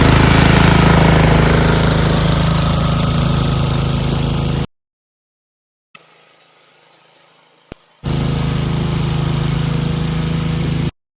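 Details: Snowblower single-cylinder engine stored 4 years in a shed with the fuel shut off and stabilized gas, fired on the first pull; it runs smooth and steady at full throttle off choke, pauses, then picks straight back up evenly, a normal run.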